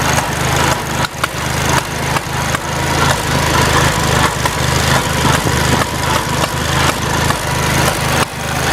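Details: Farmall Cub tractor at start-up and while driving: a steady low engine chug with sharp irregular pops every second or so. The cause of the popping is unknown and the owner is asking for ideas.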